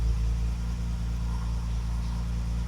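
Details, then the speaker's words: Classic car after new ignition (correct coil, new contact breakers and condenser, original HT leads): steady smooth low hum, even beat, no misses, idling and accelerating properly, best it has ever run; normal idle. "It's the best it's ever run. It's idling properly. It's accelerating properly."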